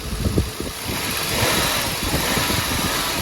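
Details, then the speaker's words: Toyota Mark II (90 body) 1JZ-GE distributor engine after rebuild, idling after fix: steady smooth low churn, no knocking or ticking; earlier noise traced to water pump and its block-mounted cold-side part, now running normally. "в принципе стука нету нормально все"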